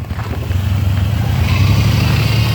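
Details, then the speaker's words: GM 3800 V6 Pontiac Grand Prix with check engine light on, revved: lumpy, uneven drone, chirping and shaking badly; misfire from a bad coil pack. "horrible right see how it's shaking blend and shake and rev it up see it's horrible"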